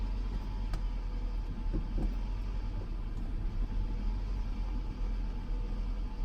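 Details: 2006 Toyota Camry at idle: low, uneven rumble with occasional stumbles, a misfire that only happens at low rpm; owner has no idea how to solve it.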